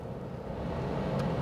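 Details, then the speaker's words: 2006 Pontiac Torrent heater blower after repairing a lost high-speed setting: steady, even air rush with a low hum at medium speed, no rattle or squeal. Full fan now works again. "That's a 3/4 fan. Oh, yeah. Full fan. All right. So, there's some parts that need to be bought or found. But she has fan back."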